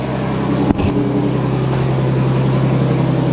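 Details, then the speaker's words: Nissan 350Z with 2JZ-GTE swap, first start after installing a new crank pulley, thermostatic oil plate, oil cooler and relocated blow-off valve: catches at once and settles into a steady, even idle, no misses or knocks, no leaks. "so far I have no leaks it fired up the first time no issues so I'm pretty happy about that"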